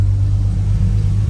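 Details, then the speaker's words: Vehicle after drying a water-affected throttle position sensor: quiet, steady low hum idle with no hunting or stumbling; TPS issue resolved, engine running smoothly. "Oh my god. It's [ __ ] quiet. It's It's quiet, man."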